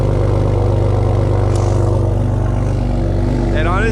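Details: 2008 BMW 335i E92 with FI exhaust, cold start: deep, steady high idle with even exhaust burble, no knocks or ticks; healthy.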